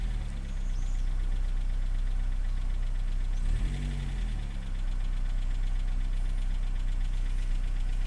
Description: klekot na zimnym silniku, czasem przestaje co slychac na filmie, po dodaniu gazu znowu to samo przez jakis czas